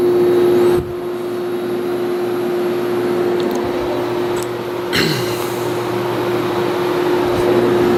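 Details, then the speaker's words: A vintage 1970s Whirlpool 6000 BTU air conditioner with a Seeger compressor (owner leans reciprocating, unsure versus rotary) and GE fan motor draws 390 W on compressor alone, then the fan is switched to low. Steady even hum, refrigerant hiss, smooth fan rush; running normally. "to me it just sounds more like a reciprocating than a [Music] rotary I can hear the refrigerant hissing"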